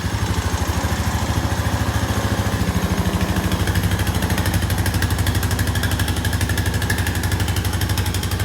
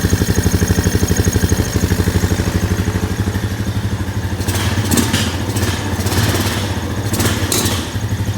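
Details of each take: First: 2001 Honda Foreman ES 450 ATV, 3,380 miles, sat a while, started on full choke after carburetor refit: even, steady single-cylinder thumping at settled idle, no misses, knocks or rattles; sounds healthy. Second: 2001 Honda Foreman 450 ES ATV after sitting, mouse-chewed wiring, nearly out of fuel: a single-cylinder thumping idle, then uneven throttle blips that stumble instead of revving cleanly; hesitation on throttle, low fuel suspected.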